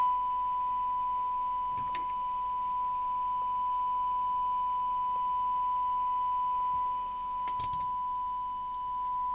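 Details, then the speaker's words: Amstrad CB900 UK FM CB radio (genuine Japanese Cybernet chassis) on the bench during service alignment, receive check: a steady high test tone sounds rough and buzzy with overtones because the receive detector is out of alignment. "Right, let's look at the receive. We'll start with the detector. It sounds pretty awful."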